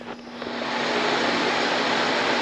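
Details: Bathroom exhaust fan, reported as making a loud noise, after servicing: it spins up over the first half second, then holds a strong, even whoosh with a steady low hum. Normal running.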